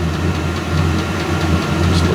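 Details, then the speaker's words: VEVOR 8kW diesel heater, E08 error, gummed up from burning waste motor oil, after teardown and cleaning with carb and brake cleaner: steady even combustion roar, glow plug turned off, putting out heat, running normally. "like it's doing good so far it's uh actually putting out a little heat the glow plug turned off"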